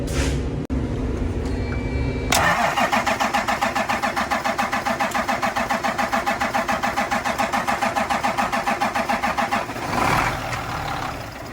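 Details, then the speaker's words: Cummins M11/N14/L10 semi-truck diesel priming after a fuel filter change: steady rhythmic cranking for several seconds, then fires and settles into an even diesel idle; normal start and idle, left running to purge air. "Alright, now being that she fired over, I'm gonna fill this up one more time."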